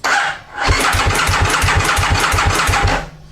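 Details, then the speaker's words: 2000 Aprilia Mille R twin that sat for years, being turned over on the starter only to prime oil to the top end: harsh, dry churning at about six even pulses a second without catching, dry engine cranking. "what we're doing is we're just gonna we're gonna turn the engine over so we're getting oil to the top end of the motorcycle because this engine and actually I don't know if you can hear that you could hear how dry the engine was"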